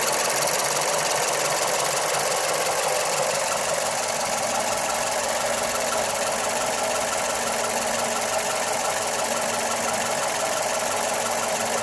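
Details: Mazda 3 MPS / Mazdaspeed 3: busy, sewing-machine-like ticking over a hissy engine note; strange engine noise, cause not pinned down.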